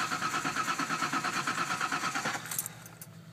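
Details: 1989 Ford Bronco II 4.0, cold: starter cranks at an even, fairly quick beat for about two seconds without catching; it has spark and fuel but won't start.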